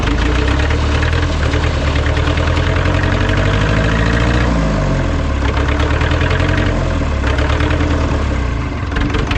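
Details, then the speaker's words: Ford 2701E 4-cylinder 240 cu in diesel (IEL, model 242DF-6005ARS) on a grapple log loader, first start after sitting about 15 years, old fuel, air bled from injectors; steady even diesel clatter, deep firm beat, no misses or knocks: normal running. "that sounded good yeah okay close them up"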